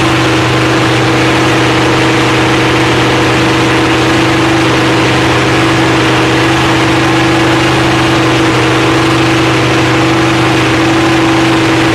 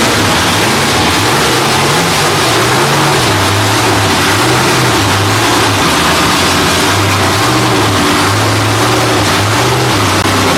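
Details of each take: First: Freshly rebuilt Holden 308 V8 with roller cam, bolted to a part chassis without body, first start after teenager's rebuild: loud, steady idle with even low rumble, no knocks or misses; running smoothly. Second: Freshly rebuilt Holden 308 V8 on a part chassis, first start attempt: starter churns it over evenly, but it never catches because the gauge shows no fuel. Cranks but no start, no fuel.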